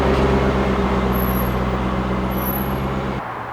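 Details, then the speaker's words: C5 Corvette after replacing the harmonic balancer and front subframe: a deep, steady V8 burble with an even firing rhythm; the new balancer runs dead straight with no wobble, and the car sits so still you can't tell it's running. "and man i tell you that thing is dead straight when the car is running you can't even tell the car is running that's how still it is"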